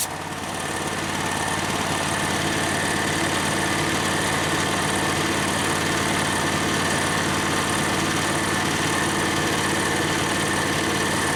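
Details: Harbor Freight engine-driven V-twin compressor, new pump: engine runs steady at a dropped idle under a constant airy hiss of the unloader venting; compressor sounds healthy.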